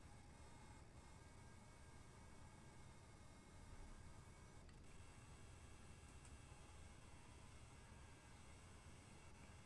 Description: This is my PSU whining at me. Its bloody annoying.